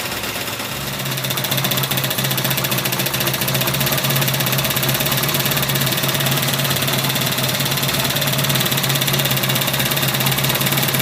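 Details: 1984 Honda VF750F on first start after a starter motor swap: steady fast idle with busy metallic top-end clatter throughout. Cause undetermined; owner suspects cams or badly maladjusted valves. Possibly running very rich.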